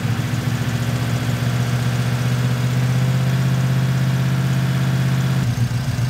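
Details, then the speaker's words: Turbocharged V8 police car (Diplomat) idling after oil change and priming: deep steady rumble, no knocking; earlier loud rocker noise gone; normal idle. "I don't hear it Knocking I guess the engine's okay"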